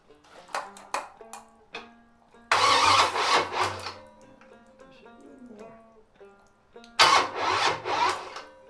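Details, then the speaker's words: '73 350 Chevy with big cam and fuelie heads, timing just corrected: two short cranking bursts under music, no catch or fire; owner suspects fuel line ran dry or battery, not on charge, is getting dead. "Battery may be getting dead. I don't have it on charge. Like I say, I may be out of gas."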